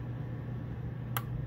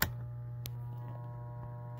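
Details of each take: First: Coleman Mach 8534 RV rooftop heat-pump air conditioner, front unit, fan started first: a sharp click as the compressor engages, amps jump, fan hum continues evenly; compressor and fan both working. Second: Coleman Mach 8534 high-efficiency heat pump RV rooftop air conditioner gives a steady, low mains-pitch hum and nothing spins up. The unit stalls, humming instead of running; its start, run and hard-start capacitors are suspected.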